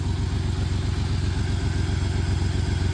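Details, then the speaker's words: 1993 Dodge Caravan, Chrysler 3.0 V6 with blown head gasket, possibly low on coolant, broken motor mount: rough, lumpy idle with uneven low thump about four times a second, not smoking much; misfire from blown head gasket. "It's idling okay right now. Obviously missing, but it's idling."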